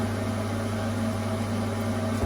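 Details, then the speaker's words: Part-time Performer 28 boiler with no heating or hot water, thermostat at maximum: steady fan drone and low hum, fan runs but no spark or burner ignition; diverter valve faulty, not popping out to turn micro switch on, electrode suspected, to be cleaned. "so I've done it by hand going through the cycle but there's no spark you see there's no spark"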